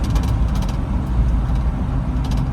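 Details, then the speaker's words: 7.3 V8 diesel after a bad IDM and bad injector harnesses were dealt with, first test drive on all 8 cylinders: deep, steady rumble with even firing and no miss or stumble. "Sounds like a 7.3. Amazing."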